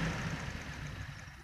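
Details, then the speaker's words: Toyota Corona petrol engine at idle after new spark plugs: steady, even hum with the misfire and shaking reduced, almost no vibration; points to be checked too. "Ternyata untuk pincangnya atau getarnya berkurang teman-teman ya. Ternyata berkurang."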